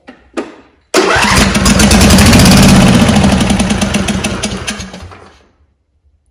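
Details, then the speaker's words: John Deere D140 mower, 22 hp Briggs & Stratton Intek, wire off the solenoid and throttle at full: about four seconds of steady cranking with even, regular compression pulses. Compression is good. "I did the compression check and of course that was good too"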